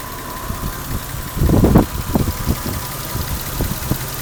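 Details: 1989 Toyota Supra Mk III 7M-GTE single turbo, parked at idle on a warm day: uneven lumpy idle with irregular thumps, cabin vibration, engine shaking slightly on mounts, strange inconsistent exhaust note; owner feels like one cylinder misfiring, cause unconfirmed.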